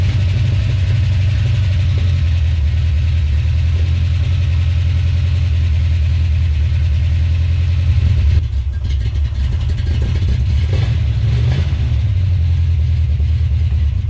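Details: 1970 Plymouth Duster, first start, engine believed an old worn truck engine: heavy low V8 idle with a lumpy, uneven beat as firing pulses drop out; misfiring at idle.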